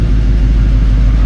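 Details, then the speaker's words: LS-swapped Chevrolet C10 idling warm while coolant is filled: a deep, even idle rumble with a steady rushing hum. Fan one has come on, and fan two switches on at about 205°F as it should. Normal cooling fan operation. "You can hear the fan come on. That was fan one. Fan two should be coming on shortly. I think about 205."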